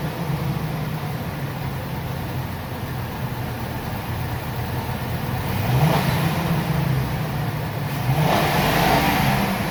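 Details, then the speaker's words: Ford E350 V10 motorhome revved after serpentine belt and tensioner replacement for a recurring belt squeal: smooth idle rises cleanly in two revs and settles back, no squeal or chirp. Normal rev. "after i start it up i always like to look and see if everything's running good everything everything is tracking exactly as it should let's give it a rev"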